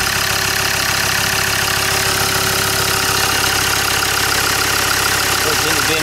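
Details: Land Rover Discovery 2 diesel after injector loom replacement. A steady idle clatter with an even, unbroken rhythm and no dropped beats. Definitely no misfire: normal idle.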